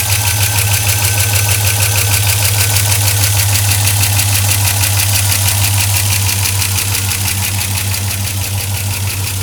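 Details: 2004 Silverado 5.3L V8, 59,000 miles, cold idle on 5W-30 Mobil 1 with an AC Delco filter: loud fast even ticking about three per second from the top end; cause unknown, an air leak up top suspected.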